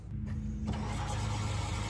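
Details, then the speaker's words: Turbo 5.9 Magnum Dodge Diplomat on Holley Terminator X, engine off, relay jumped: steady electric fuel pump hum priming the rail, stopping when released; intermittent pump traced to soft-set terminal at firewall bulkhead connector, pump working normally. "All right, so you can hear the fuel pump running. You can hear the fuel going through the rail and all that good stuff."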